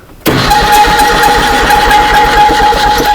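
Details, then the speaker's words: 1965 Datsun 320 pickup parked for 40 years, first cranking attempt: the engine turns over with a steady high whistling squeal over the churn. Owner suspects it just needs lubrication; source not pinned down. "I know that, but like those squealing, like somebody's Humming and whistling. somebody's on fire sound. What's that all about?"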